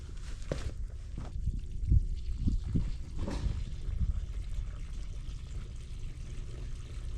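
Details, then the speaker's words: Farmhouse well pump, wellhead, air in water lines causing plumbing to sputter, filter just blown out: low gurgles and irregular sloshing, no steady flow; pump still drawing air, suspected as the issue. "It's sucking out. You hear it? Yeah. So I mean, it's still getting air. I think that's what that might be what our issue is."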